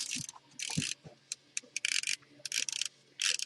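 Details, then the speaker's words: Echo1 Troy series airsoft gearbox with 3 gears and reversal latch installed, turned by hand: uneven crisp ratcheting clicks, only spins the correct direction; anti-reversal latch working normally. "That's the reversal latch. So I can't spin it forward, I can only spin it backwards the correct way. So that's good."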